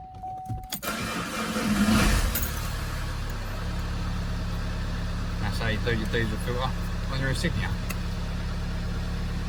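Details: Vauxhall Insignia diesel starting after fuel filter replacement and priming/bleeding air from the fuel system: starter cranks briefly, engine catches and settles into a steady, even idle without stumbling; clean start.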